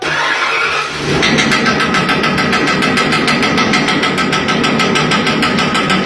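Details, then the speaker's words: Nissan Sentra, 180,000 km, after full service with alternator and belt tensioner refitted: starter whirs, engine catches and idles steady and even, earlier engine noise gone, no belt-side whine or chatter. "o barulho galera sumiu né sumiu mesmo ficou zeradinho aí cara"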